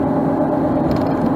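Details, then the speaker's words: Loud tire noise at cruising speed, recorded with the mic on the sun visor: a steady droning hum over the road rumble the whole time; cause not yet found. "I don't know if you can hear the tire noise is bad now"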